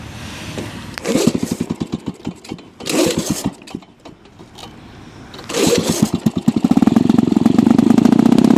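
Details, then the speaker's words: Lawn-Boy F Series two-stroke mower, warm start after running minutes earlier: a few pulls then catches into a harsh, crackling bark, much louder than normal; muffler has a hole, exhaust leak. "The muffler has a hole in it, which makes it extremely loud. But so yeah, that's a problem."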